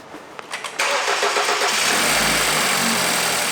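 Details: 2013 BMW 328i (F30), N20/N26 engine, first start after heavy maintenance, oil pan gasket and Valvetronic motor replaced with relearn started; metal valve cover, beauty cover off, amplifying the tractor-like clatter: quick crank, catches, steady even idle; normal start and idle.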